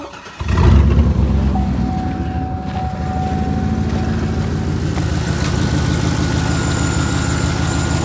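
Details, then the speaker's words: 2007 Chevy Silverado Z71 4x4 6.0 V8 with a 6-inch lift and overheating issues, started hot to check the cooling fans: steady rumbling idle with a constant fan rush. Fans work but blow weakly; owner thinks they need replacing. "The fans are working, but they don't seem to be blowing that hard cuz it's totally heated."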